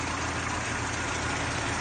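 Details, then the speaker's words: 1991 Mazda 1300, 5-speed: starts easily, then a quiet, even, steady idle hum with no knocks, misses or hunting; engine running smoothly and quietly. "สตาร์ทเครื่องนะครับติดแล้วนะฮะนี่คือเครื่องติดแล้วนะครับเงียบจิดเลยนะ"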